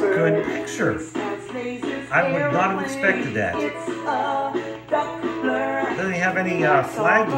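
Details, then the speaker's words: Mint-in-box 1997 GPX TVP9 B&W TV/AM/FM/cassette unit playing a tape: music comes through clean and steady with no wow, flutter or drag, the deck running at correct stable speed. Normal cassette playback. "it's playing it damn near perfect i am very surprised"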